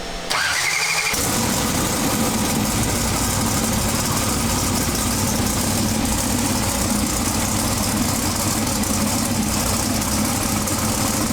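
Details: Twin-turbo big-block pro mod drag car with a Turbo 400 transmission, first fire-up after 2.5 years of chassis and engine changes: a brief crank, catches at once, and settles into a strong, even, deep idle rumble; normal.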